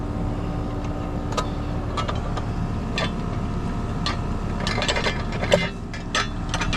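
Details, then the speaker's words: Residential AC condenser on a no-cooling call, running after a new breaker was installed: steady compressor hum with even fan whoosh under handling clicks; pressures checked out fine, unit running normally. "pressures and everything checked out fine on that one. That was actually a very easy job."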